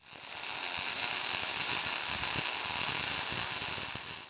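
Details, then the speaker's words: MIG welding with voltage and wire speed balanced: a smooth, steady, even high crackle like bacon frying, the correct-settings sweet spot. "That's the sound. Smooth, steady, like bacon frying or be buzzing. That's what you're chasing."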